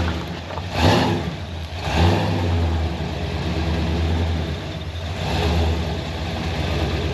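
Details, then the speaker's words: Supercharged (blown) engine in a C10 pickup, after fixing vacuum leaks, timing and starter: deep, very loud rumble swelling with each throttle blip and settling back evenly; louder than it ever was before. Normal running. "Good grief, that sucker's loud."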